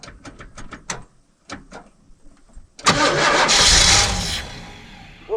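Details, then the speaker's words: 1979 Pontiac Trans Am parked 34 years, with fuel poured in: short bursts of cranking, then a longer loud crank that never catches into an idle. Cranks but will not start. "She just don't want to go."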